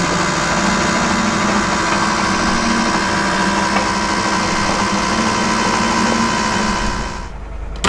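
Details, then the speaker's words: Nissan S15 Silvia drift car engine started with no spark plug in cylinder 5; uneven, lumpy beat, about three to four stumbles a second, under a steady drone: misfire, running on five cylinders. "it's going to start on 5 cylinders. Hopefully it just pushes out."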